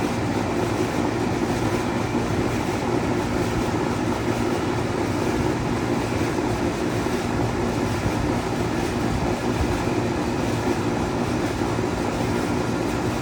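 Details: 2003 Carrier 38CKC 3-ton AC condenser, Bristol reciprocating compressor, 18-inch three-blade galvanized Revcor fan, starting up: loud steady high-speed fan rush over an even compressor hum, no knocks or rattles; cold suction and hot liquid lines confirm normal operation.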